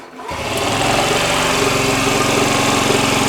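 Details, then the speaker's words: Honda Ruckus scooter with starter problem, on a substitute battery since the original is dead: strong, even cranking whir with no grinding or slipping; the starter works properly. "we know that the starter does work"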